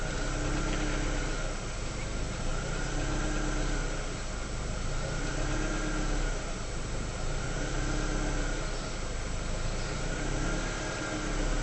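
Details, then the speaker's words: Rover 75 petrol engine warmed to about 77°C idles unevenly, note swelling and dipping every couple of seconds; rattle heard on overrun, worse when hot (around 90°C); owner cannot get a stable idle. "I just cannot get a stable idle though."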